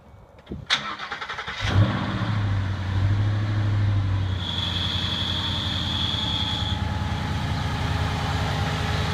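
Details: 2014 Ford Mustang GT squeak test: engine cranks, catches and settles to idle with a thin high squeak for a couple of seconds; source not identified.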